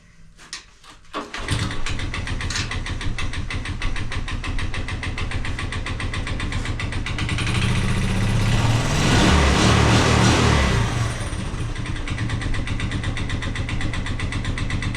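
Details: 1983 Honda ATC 185S after stator replacement restored spark: a few pulls with choke and fuel on, then it catches and settles into a steady, even idle around four beats a second; healthy single running clean.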